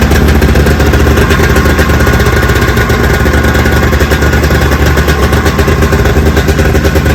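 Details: 45th anniversary Polaris 700X SE Deluxe snowmobile, sat a couple of years, revived with fresh fuel, plugs back in and oil: loud, busy two-stroke crackle holding a steady idle with no stumbling or dying; normal idle.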